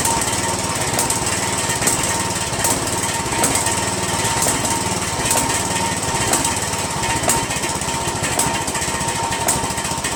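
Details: Poulan 16.5 HP lawn tractor engine after valve check, RTV valve cover gasket, Chinese copy replacing Nikki carburetor and new intake manifold: loud harsh chattering run with a rapid uneven pulse and no steady smooth note; rough running, cause unclear.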